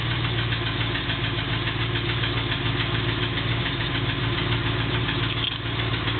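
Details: Triumph Stag V8 on cold start: steady idle with a fairly regular knock tapping about three to four times a second; the starter solenoid clicks from three attempts are separate.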